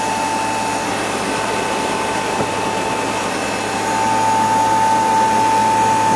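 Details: First start-up of a replacement two-speed (2/4 pole) Bristol compressor in a refrigeration condensing unit, after condenser leak repair and undersized suction line replaced. Steady even hum with a faint constant high tone, no knocks or rattles: running normally.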